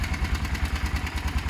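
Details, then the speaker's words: Motorcycle project idling after work: steady single-cylinder thump at about eight beats a second, even and unbroken. Left to idle a few minutes; a healthy idle. "I'm going to leave it idle for a few minutes I think that's best"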